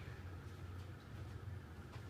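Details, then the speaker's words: 1988 Sears (Encon) 42-inch Spinner ceiling fan on low speed: rough, uneven low rumble and faint thin tone from badly worn bearings. "barings are horrendous on it um there might be a problem with it"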